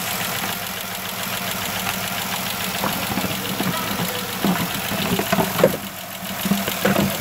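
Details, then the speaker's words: 3.6 Pentastar V6 van idling before repair: quick, light ticking from the rear head (bank one). The cause was a broken roller rocker arm with a damaged camshaft, both later replaced. Failed roller rocker arm. "So guys, as you can see, yes, it is coming from bank one. I'm getting ready to take bank one apart, take it totally apart. There's no reason for me to bench the bank two here, when it's ticking from the rear head."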